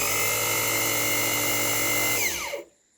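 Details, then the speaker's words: Sewing machine motor running after its carbon brushes were checked with a tester and found to conduct power to the rotating part: steady, high-pitched whine, smooth running, then an even wind-down when switched off; the motor is healthy. "அதாவது சுத்தக்கூடிய இந்த பகுதிக்கு ரெண்டு பக்கத்துல இருக்கிற carbon brush மூலமா தான் power supply போகுது. இப்போ இந்த மோட்டரை ஆன் பண்ணதே உங்களால நல்லாவே பார்க்க முடியும்."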